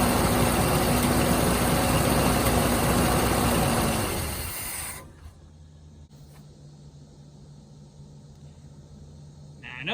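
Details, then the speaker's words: Chevrolet C10 V8 with suspected flat camshaft lobes, running on seven cylinders after a broken pushrod and rocker arm were removed: revs drop to a low, uneven, lumpy idle; worn-flat cam lobes. "it's only running on seven but cylinders was like four maybe four and three quarters that was bad"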